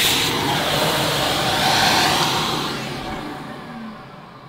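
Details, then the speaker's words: Electrolux Turbo 2 Z1070 upright vacuum cleaner, motor full of fluff inside: high, hissing motor whine with a dry, rough edge that fades as the motor runs down; motor bearings sound dry. "Wow. Yeah, you can hear, can you hear? Sounds dry."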